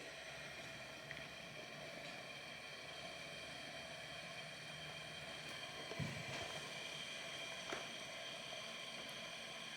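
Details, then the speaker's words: Wilesco D455 stationary steam engine, relit with 3 Esbit tablets after refueling, boiler already warm: soft steady fizzing hiss with faint pops as boiling restarts; normal boiling. "And immediately you can hear that boiling start up again because we're all warmed up now, obviously."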